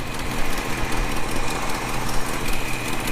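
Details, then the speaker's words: Holden HK at idle after realigning the belt to run straight: power steering pump no longer rattles, barely audible, with smooth low rumble and no squeal; owner suspects pump bearing will need replacing eventually. "power steering pump barely making a sound. Probably needs a new bearing at some stage, but at the moment she's running really good and no noise because I've got it running so straight."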